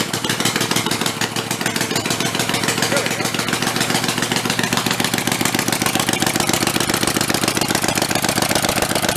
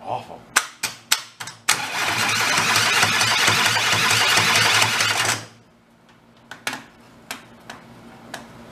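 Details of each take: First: Rebuilt Kohler Command 20 hp engine running after its fuel solenoid was jumpered to 12 V: fast, steady popping beat with crisp, even pulses and no knock; runs healthy with no leaks. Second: Two Kohler Command 20 hp engines (thrown rods, flood-damaged) rebuilt and bolted together: sharp clicks, rough loud grinding crank about four seconds stopping dead, then clicks; harsh cranking noise.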